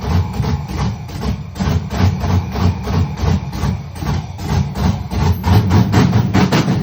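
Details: Monte Carlo with rebuilt LS engine, first start, no throttle input: low uneven chugging at roughly three beats a second, slow and choppy idle before picking up; fire seen from exhaust; MAP sensors not yet hooked up, still needs tuning.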